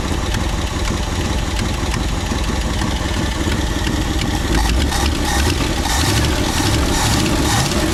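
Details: 1962 Ford Galaxie V8 that sat for decades, restarted after freeing a stuck carburetor float, with a steady, fairly even idle rumble and some background clatter but no knocks or misses; idles fine.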